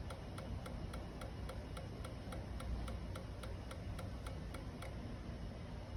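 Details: 2012 Kawasaki Ninja 650 no-start: sharp even ticks about three per second with no engine turning over; clicking without cranking, cause not yet found.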